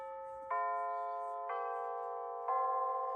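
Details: Bulova C3542 battery wall chiming clock just after replacing the chime batteries, old since October 2020: three clear, full bell strikes about a second apart, ringing evenly with no weak or dragging notes; the chime is working properly and sounds much different than before.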